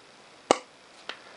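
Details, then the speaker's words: 1930s Onoto The Pen No 5253 plunger-filler fountain pen after new seals: two crisp pops about half a second apart as the plunger is worked, showing seals and ink shut-off cone sealing properly; normal. "so that lovely popping sound tells us that everything is working hunky dory"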